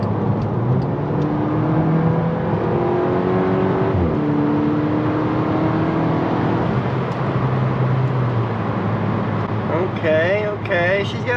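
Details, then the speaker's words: MK6 Volkswagen GTI after turbo replacement, road test under acceleration: engine pulls cleanly through gears, tone rising and dropping evenly with shifts; previous internal wastegate rattle on boost is gone. "she's got a little pickup. Definitely do not hear no damn rattle from the internal wastegate anymore."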